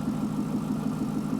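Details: Chevrolet Corvette with a P0300 code; an in-cylinder test showed the injectors firing at the wrong time. Warm idle with a faint uneven pulse and occasional stumble, a random misfire, while the crank sensor reference, ground (0.05 V), crank signal and cam signal are scoped. The cause is suspected, not confirmed.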